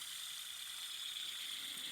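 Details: Toyota Camry serpentine belt idler pulley, removed and spun by hand: loose, gritty rattle and dry grinding from a worn bearing; a new pulley spins silent.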